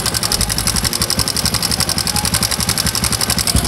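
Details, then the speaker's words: Carbureted Honda Supra X125 idling after its damaged cam chain stud was replaced: a loud, fast metallic clatter. The remaining suspects are a slack cam chain or a worn tensioner rubber. "Jadi yang 1 ini kamratnya terlalu kendor ataupun karet tensionernya terlalu aus ya."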